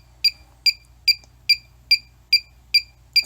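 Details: Cheap halogen refrigerant leak detector (R22, 410A, 134a), set to sensitivity level 3 with no gas present: clean high chirp repeating evenly about two and a half times a second over silence; normal idle ticking, no gas detected.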